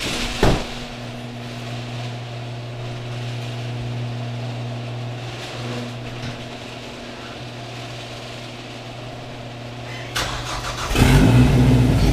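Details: Engine with an EWG GTX3071R turbo setup, just after starting: uneven, lumpy, loping idle with a wavering low drone for about 15 seconds before settling; rough idle, cause unconfirmed.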